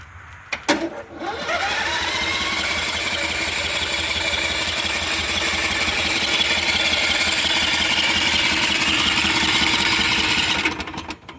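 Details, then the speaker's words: Briggs & Stratton 01815 standby generator converted to a trailer, in manual mode: starter cranks the engine at a steady whirring rhythm about nine seconds without firing, no blinking lights; owner suspects no fuel; cranks but won't start. "Light powers up and it's going to try to crank. And it's going to keep doing that until the battery just dies. But almost feels like I'm not getting any fuel."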